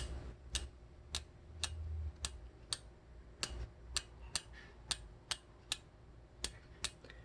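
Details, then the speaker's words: 8-speed road bike, chain on the front inner chainring and the rear outermost sprocket, cranks turned slowly backward: light crisp ticks about twice a second as the chain drops onto the cog and brushes the neighbouring cog's teeth; cross-chaining rub, not a shifting fault. "이렇게 이렇게 툭하고 떨어질 때 이 옆쪽에 있는 코 그와 스치는 소리가 나요"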